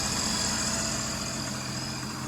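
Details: 2010 Sea-Doo RXT 260 with SBT rebuilt engine, tested after carbon seal and jet pump repairs, engine temperature feels good: smooth, even idle with steady high supercharger whine on top, no knocks or misses; healthy.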